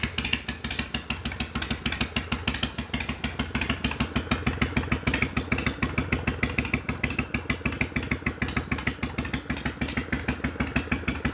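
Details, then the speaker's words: 1993 Harley-Davidson FXDWG Evo V-twin after ultrasonic carb cleaning and carb adjustments: steady even potato-potato idle about three beats a second, crisp exhaust pulses, no misses or knocks; healthy. "All right. Well, that sounded pretty good to me."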